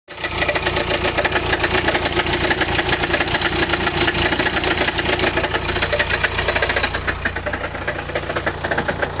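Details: Chrysler Grand Voyager 2.8 CRD diesel automatic idling, in park, drive or reverse: loose metallic rattle and rumble over low drone, little at higher revs; cause was a badly cracked flexplate between crank and torque converter.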